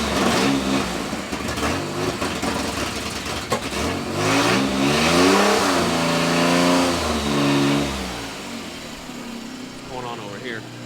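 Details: Nissan Z31 project after fuel tank install, fuel pump at 9 volts: revs rise and fall unevenly and hesitantly, spitting and sputtering rather than clean; stumbles under throttle.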